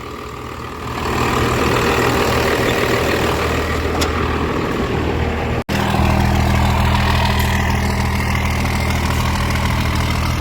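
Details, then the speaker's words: Diesel truck with MBRP exhaust, backfired on start: deep, even rumble settling into a steady idle with a throaty exhaust note; smooth, healthy normal idle. "sounds good that mbrp is nice"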